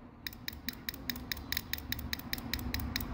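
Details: Car ABS hydraulic unit on the bench: solenoid pulsed, crisp even clicks about two per second; beating normally.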